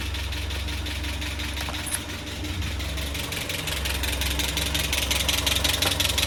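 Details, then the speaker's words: Land Rover Series 3 just started after head gasket replacement: steady idle with a sharp, even tick on top; owner suspects valve clatter or low oil, timing checked and fine, head retorque planned. "What's that, valve clatter? Not enough oil?"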